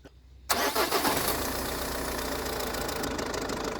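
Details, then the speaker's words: Diesel engine on cold start with fresh thick cold oil, new additives and a dry oil filter housing: light metallic rattle over fast idle for about a second, then an even buzzy idle; timing chain buzzing suspected; cold start rattle. "just going to let that clean stuff circulate first you can really hear that chain buzzing away from here"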